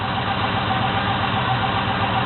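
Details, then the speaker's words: 1972 Chevy Monte Carlo small-block 350 with newly installed FiTech self-learning EFI, first start, still cold: steady even V8 idle, smooth low rumble, no knocks, misses or shaking, RPM settling down; normal idle. "so the car's doing so look no shaking or nothing cars rning good"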